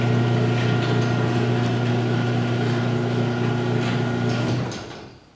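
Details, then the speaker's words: Six-year-old LiftMaster 8365 chain garage door opener raising door one, after maintenance: rails and gears regreased, chains adjusted, trolleys greased. A steady low motor hum and smooth chain travel with little trolley clanging, then it winds down and stops; normal operation. "you can just hear that when the opener starts moving in general right away there's a lot less clinging sound from the trolleys"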